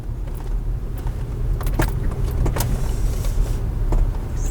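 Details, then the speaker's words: 4th-gen Toyota 4Runner backing up in driveway after new front sway bar bushings: low engine rumble and light rattles but no front-end clunk, where 5 to 10 clunks usually occurred; bushings likely the cause. "Those sway bar bushings might have been it, because that's the first time I've backed up in my driveway and not had a single clunk. I'd have had 5 or 10 by now."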